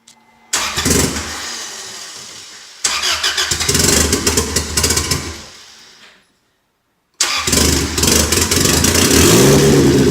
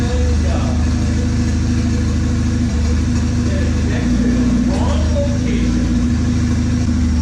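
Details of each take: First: Freshly rebuilt turbo 1996 Honda Accord CD5; tune first suspected, vacuum leaks checked. It catches, revs unevenly on the pedal, then dies and cuts out before restarting; it won't hold idle without throttle. Stalling idle. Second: 1996 Honda Accord CD5, turbo, freshly rebuilt, with idle troubles and a rich-running tune, driven in cold weather: steady even engine note rising under throttle with faint turbo spool, runs smoothly without knocks or misses; tune still needs adjusting.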